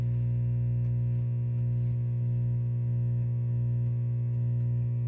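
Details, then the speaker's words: 1961 Fender Showman tube amp, nothing plugged into the input, tone at 50% and volume raised: loud, steady low hum with faint pulsing. Suspected power cord issue or an ungrounded open jack; the vibrato channel is quiet. "That's just a power cord thing. Um, but it could also be I mean this here it could also be an open jack."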